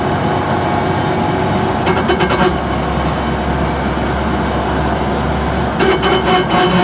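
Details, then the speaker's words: Car with a noisy axle differential, before trying sawdust in the gearbox, heard while driving under load and off throttle: steady low drone under road noise, rising with road speed; a very loud howl from worn differential gears. "вернулись как это всё гудит Вы слышали Это прям очень страшно гудит"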